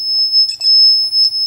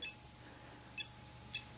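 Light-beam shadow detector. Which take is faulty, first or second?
first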